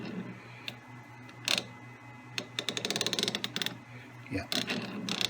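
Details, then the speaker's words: Lewis shaper cross feed gear train turned by hand both directions after boring out egg-shaped clutch housing: light even gear clicking, no binding or effort; smooth gear mesh after repair. "so from here right no effort at all changing directions okay"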